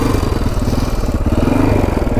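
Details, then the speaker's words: 1980 Yamaha XT500 single, sat over 20 years and newly refilled with oil: uneven thumping with irregular stumbles and misses, sputtering rather than idling cleanly. Owner suspects the exhaust pipe or a restrictive air box. "all right so it was kind of sputtering and not running the greatest when i was taking for a ride i think it might be due to the pipe pretty"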